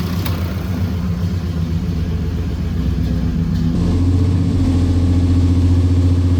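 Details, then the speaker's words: 1968 Chevelle wagon, first start, listened to from the front: steady, even idle lifting slightly, with a light quick tick that is the injectors firing, not valve noise; normal idle with injector ticking. "Only thing I can hear for sure is the uh injectors firing, which if you don't know what you're listening to, could sound like valve noise, but it's not."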